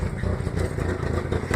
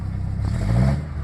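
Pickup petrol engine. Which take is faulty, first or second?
first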